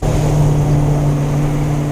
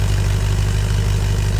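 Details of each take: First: Land Rover Discovery V8 under load after new downpipes, stainless muffler and tip: deep, smooth, even drone, earlier raspy bark gone, exhaust sounds normal. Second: Land Rover Discovery V8 with degraded exhaust: deep, loud, unmuffled throbbing burble at idle with even pulses, before a new stainless muffler and downpipes are fitted.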